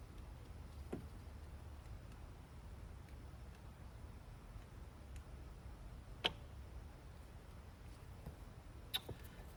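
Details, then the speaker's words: Mercedes-Benz S600 W220 V12, replacement central locking vacuum pump from eBay plugged in and lock/unlock pressed: only faint, irregular clicks over a low hum with no buzz, so the new pump is defective. "as soon as you plug it in it should make a buzz noise to immediately try to build a vacuum okay got it plugged in that one isn't gonna matter I don't think I hear it clicking"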